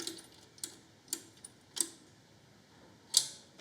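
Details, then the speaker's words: Victa 10-42 / MTD 145-760A lawn tractor, ~1970s, first start attempt in years, 13 V battery: sharp single solenoid clicks, about six in four seconds, no cranking. "And if we do, well, we can hear this thing clicking. So that's fine."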